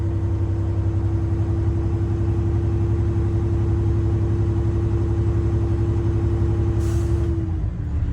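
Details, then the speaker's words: Water truck air brake check, recorded in the cab with diesel idling: steady whistle while pressure builds, then sharp air-hiss burst as the governor cuts out; tanks fully charged, system operational. "you guys hear that that means that my air compressors are full they're fully charged and the system is operational"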